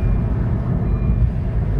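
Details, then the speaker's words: Honda Fit Hybrid, 103,000 km, after clutch release mechanism service, coasting test with no pedal input: only low steady rolling rumble, no scraping or rubbing; car rolls freely on its own, brakes not dragging, considered normal. "Да, вот я держу, я ничего, она сама катится. Видишь? ну да, так и должно быть. Значит, нормально, в принципе."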